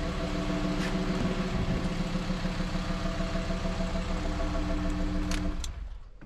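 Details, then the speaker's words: VW Transporter T5 diesel after replacement of the camshaft and tappets and adjustment of the injector rockers: it runs steadily with a loud open-intake roar, partly muffled by hand, and light tappet ticking. There is no heavy knock anymore. "C'est pour ça que j'ai mis ma main devant pour camoufler le bruit, pour vraiment entendre si on n'a plus de cognement au niveau du moteur. Donc on n'a plus de cognement, donc c'est bon."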